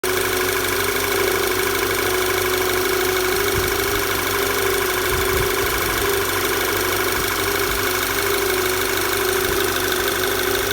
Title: Knocking noise VW Tiguan